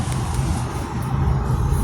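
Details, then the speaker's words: Hyundai Tucson 2.0 Flex driving over small bumps after replacing the front shock mount (strut top mount, Shockbras brand) that caused a right-side noise: steady cabin rumble, no knocks or clunks. "o barulho da Tucson agora já era tu que tu que acabou ó Bate nada tô com relação a qualquer ondulação Zinho assim ó"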